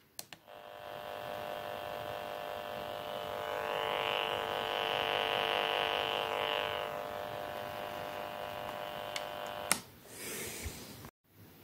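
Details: FrSky Taranis transmitter after installing TBS Crossfire TX module: steady electronic buzz with fast pulsing edge from the radio speaker due to RF interference, before fitting ferrite core filters.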